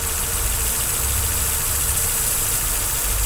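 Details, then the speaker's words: 2005 Nissan Sentra with higher-than-normal idle: steady idle with a thin, constant hiss as air is drawn past the leaking O-ring of injector 2, found by spraying; vacuum leak at fuel injector O-ring. "Ahí le estoy echando aire y como pueden ver se escucha un silbido. Ese silbido significa que por ahí, por ese inyector, por la liga de ese inyector,"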